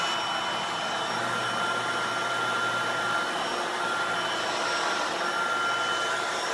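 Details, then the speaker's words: Shark vacuum with replacement motor assembly fitted: smooth even high-pitched whir with steady airflow hiss, no rattles or surging; running quietly and healthy. "it was clicking around in the bin but yeah so this thing is working now and I'm pretty if it's pretty quiet too"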